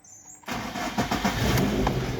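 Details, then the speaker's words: Lada Priora engine started after fixing hydraulic lifter knock by draining old oil fully and cranking with oil filter and camshaft sensor removed: quick crank, then smooth even running with no top-end ticking; lifters quiet. "работает отлично вот так работает ребята"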